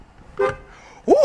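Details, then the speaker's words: 2008 Ford Mustang after replacing the smart junction box (interior fuse box): two short, clean horn toots with a steady, full tone and no rasp. The horn works again after being dead for years. "poor works y'all the horn works okay"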